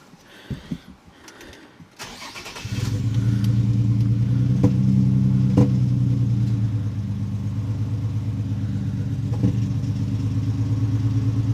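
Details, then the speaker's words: 2008 Nissan 350Z, after reconnecting an unplugged fuel injector: cranks, catches and settles into a lumpy idle with skipped beats; it is misfiring and now backfiring, with the same codes, and the owner suspects the upstream O2 sensors. "seems like it's running worse starting to backfire now"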